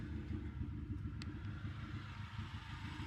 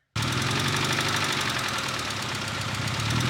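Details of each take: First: Petrol engine idling smoothly after a DMSO oil flush, with an even low exhaust rumble and no knocking; only injectors firing are audible. The lifter tick had returned during the flush, and a tiny noise remains when cold. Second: Petrol engine after DMSO oil flush, refilled with 15W-40, idling and revving briefly up to about 1200 rpm; steady light tick three to four a second; hydraulic lifter tick returned, owner assumes heavier oil weight.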